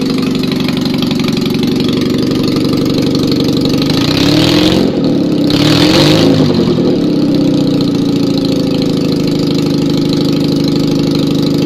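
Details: Citroën 2CV engine after rebuild and 652cc conversion (pistons, barrels and head refitted, rejetted Solex twin-choke carb, dressed points), first start with no exhaust fitted: loud, raw, even beat, steady idle holding after a brief rev; runs healthy with proper oil pressure.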